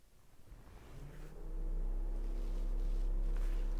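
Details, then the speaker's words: Honda Civic radiator cooling fan commanded on via a scan-tool actuator test during AC diagnosis: a quiet start, then a steady whir rises after about 1.5 seconds and holds even, fan running normally. "radiator fan that's a good one let's check to see if my radiator fans are coming on here we go"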